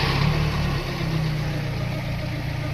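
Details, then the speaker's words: Engine after correcting miswired vacuum lines and a reversed choke positioner that caused high revs, and sealing a vacuum leak; aircon on. Steady, even low idle with no hunting, hiss or stumble, now okay. "So correction ng mga vacuum line yan. Okay na."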